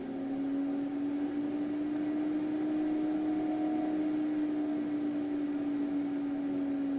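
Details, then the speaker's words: Leisure Line coal stove power vent fan: smooth steady hum at one even speed, no rattle; speed being set via rheostat adjustment screw to tune draft; running normally. "you can turn this screw and you can hear the power vents speeding up you turn it the other way it'll slow down"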